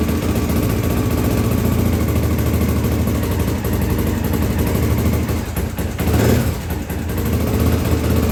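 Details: 1983 Honda XL600R first start after top-end rebuild (1mm overbore, Wiseco 11:1 piston, Megacycle stage one cam, heavy-duty springs, rebuilt carbs): loud steady single thump, crisp exhaust pulses, a short rev near six seconds, no knocks or rattles; normal running.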